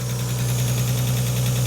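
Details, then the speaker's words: Long-stored car restarted: steady low idle with a faint quick tick in time with the engine, quietening as oil circulates; owner thinks lifters bled off and pumping up. "It quietened down a little bit. We still got a little tick."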